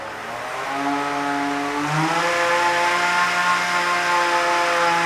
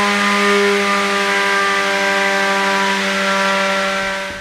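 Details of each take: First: Belt-driven weapon of a beetleweight combat robot with plastic pulleys, during an earlier spin-up test; motor whine climbs then flattens around half power instead of winding up, sounding laboured as the weapon belt slips and power isn't transferred. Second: Beetleweight combat robot's belt-driven weapon after changing to new pulleys, run from zero to full power; steady, even high-pitched hum with no rattle or slipping squeal, normal weapon run that seems much better than before.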